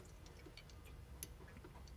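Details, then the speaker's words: Honda four-cylinder automatic transmission shift solenoid, switched with a jumper while being cleaned with spray: crisp, evenly spaced clicks after cleaning, where it was a dull thump before; the solenoid is judged good. "you hear the clicks actually sound better now you think I'm crazy listen to what getting the video wasn't this sod of a click it was more like a dump so I know that solenoids good"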